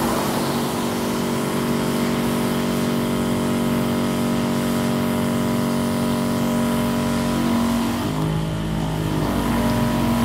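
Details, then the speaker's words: Electric knapsack sprayer whose weak spray and squealing were traced to a weak battery, running at full power in button mode with good battery: steady, even motor hum holding one pitch, no squeal or stutter; pump running normally. "Ini langsung tancap gas penuh. Besar. Luar biasa. Besar. Anda bisa melihat semprotannya. Mesinnya normal."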